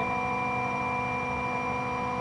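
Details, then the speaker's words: 20 hp twin-tower integrated rotary screw compressor with soft start, loaded and charging its twin 66-gallon tanks: smooth, even hum with a steady whine, no knocks or surges; running normally. "we're gonna turn the unit on you can hear how it runs how it sounds it just turned out to load the compressor now it's a soft start unit it saves energy when it's off starts and also saves the motor light"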